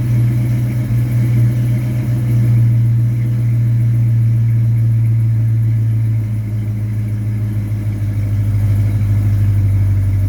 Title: Almost got the exhaust leak gone